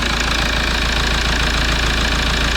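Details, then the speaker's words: Rebuilt Toyota Land Cruiser Prado 1KD-FTV diesel warming up after rebuild, antifreeze filled and coolant being bled: steady, even idle clatter with a smooth low rumble and no stray knocks; seems to run well. "Bref, on le laisse chauffer, on observe. Ça a l'air de bien fonctionner."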